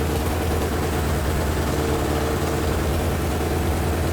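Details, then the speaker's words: Suzuki Katana barn find, first start after 31 years on original plugs, boost pack: steady, slightly ragged four-cylinder idle with raspy puffing edge; suspected exhaust leak at the front, seems to be running on three cylinders. "I think we've got a bit of an exhaust lead up"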